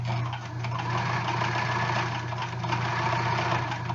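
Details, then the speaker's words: Sewing machine on thick heavy-weight fabric after loosening the presser-foot pressure: steady low motor hum with even running rhythm, no grinding; feed dogs pull the fabric through smoothly, though the stitch still looks a little too tight. "Well, that helped it go through. I mean, you don't hear it like grinding, right?"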